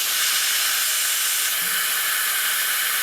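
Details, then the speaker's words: CNC way lube system line blown through with compressed air: steady strong air hiss with no sputter passing out through the saddle, showing a clean, unblocked lube line. "you can hear air is passing out through the saddle so that one is clean that one is clean"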